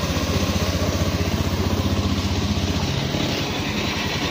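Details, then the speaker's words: Honda Beat FI scooter at about 26,000 km idling with a smooth, even low putter after replacing the noisy camshaft (bad cam bearing) that caused a grinding engine noise: quiet normal idle after repair. "kung mapapa ingan niyo mga Kar yan tahimik na ulit siya Yun lang ang Pinalitan ko o yung cam shop"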